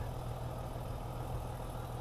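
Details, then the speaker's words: BMW E36 M3 after intake plenum reinstall, warming up: smooth, steady six-cylinder idle, deep even rumble, no ticking or puffing; previous exhaust leak no longer heard. "I don't hear the exhaust leak so I think we're good on the exhaust"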